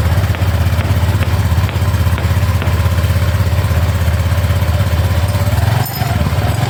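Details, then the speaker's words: Small single-cylinder automatic scooter started after DIY routine service and reassembly to check the installation: steady, even low putter at idle with no knocks or rattles; healthy. "tinggal kita ya coba hidupkan mesinnya ya teman-teman, untuk mengoreksi apakah ada yang salah dari pemasangan."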